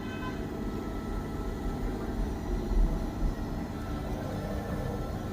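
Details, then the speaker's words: Bosch washing machine after rubber seal replacement; it made a very bad noise before: low, soft, even rumble with no knocking or scraping as the drum turns, later spinning up to 1200 RPM; now running quietly and normally. "so they completely fix the washing machine you can see there's now no noise it's completely silent you can hear it silent"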